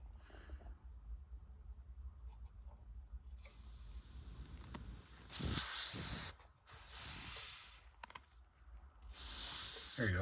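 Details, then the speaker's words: AIDA-style DayLite kerosene lantern after final fixes; sharp bursts of escaping air hiss starting and stopping cleanly as the valve releases pressure, valve working properly. "So yeah, the foot valve is working good. This one's working good."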